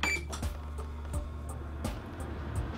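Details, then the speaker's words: Comfort Zone CZ2011C infrared heater after replacing the thermal cutoff for a keeps-shutting-off fault: steady low hum with a short start-up beep and light clicks; normal operation, heater powering up and running. "I hear the unit runner take one minute I'll fast forward here just to make sure that it actually heats up"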